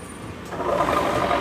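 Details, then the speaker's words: Honda Vario 125 scooter, rear wheel spun by hand with engine off: rough, gravelly grinding that grows louder with the engine running. "Nah ini banget bunyinya kayak gini nih ini bunyinya jadi dia bunyinya pas ketika diputar roda belakang aja ini udah kedengeran bunyi ya"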